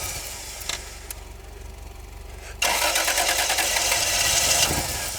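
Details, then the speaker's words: 1990 Toyota 4Runner 3.0 V6 on a cold morning after dying while warming up: long crank before catching, then an uneven stumbling idle; hard start, suspected vacuum leak or fuelling issue, unsure if spark or fuel. "trying it again here see if this thing fires over it wants to yes a little bit of a stumble there"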